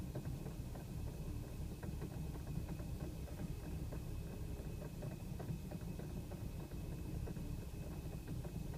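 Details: BMW E90 rough idle with small misfires and juddering, plus uneven acceleration between 2500 and 4000 rpm, recorded 28 miles after adding Chevron Techron Concentrated Plus; symptoms gone after a restart 5 minutes later, but the owner expects them to return.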